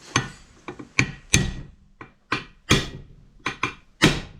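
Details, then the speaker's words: JC5 gearbox reassembly, pin located with 7 mm punch and driven by hammer: sharp separate metal taps about one a second, the note firming up as the pin bottoms out and touches, seated home. "Now hear that sound? It's the sound of it touching."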